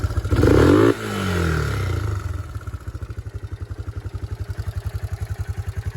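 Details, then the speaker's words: Yamaha Moto 4 ATV (1987 Moto 4 225, also called a supposed 1998 Moto 4 250) after the no-compression bent-valve repair. Warm after a short ride, it cranks, fires with a short rev and settles into a clean, even single-cylinder idle of about eight beats a second. "It is warm, but you can still kind of see the idea, just kind of starting it up."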